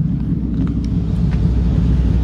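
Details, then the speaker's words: 1954 Ford F-100, hot rod restored, 302 V8 with automatic transmission: deep, steady, even rumble with no knocks or ticks; engine sounds healthy. "this engine sounds awesome it's a really really nice sounding truck"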